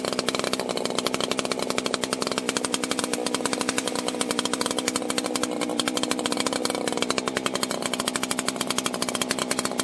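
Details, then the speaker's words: 1980s Husqvarna 281 two-stroke chainsaw, after fixing a popping/crackling ignition issue: clean, steady high-rev howl with no crackle or breaking up at the top; normal running. "all right man we've got it warmed up let's uh check our restart here no uh fast idle or anything"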